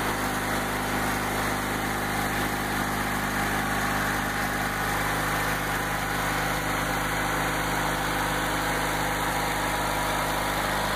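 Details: October 1994 Craftsman II GT6000 garden tractor with Hi/Lo transmission, just revived with a repaired starter: even, steady low twin-cylinder idle with no misses, knocks or hunting; runs smoothly.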